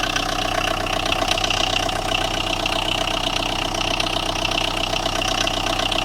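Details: Tata Indigo with a starting problem, idling: harsh, fairly regular engine knock of about three per second over the run; cause undetermined.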